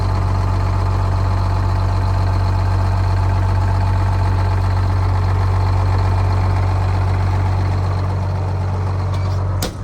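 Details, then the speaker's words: 1979 fire truck two-stroke Detroit diesel, long retired and sitting for years, transmission bad; steady, even low drone with no knocks or misses; normal idle. "It's a shame that transmission's bad, because this motor runs flawlessly. It sounds amazing. These two-stroke Detroits are awesome."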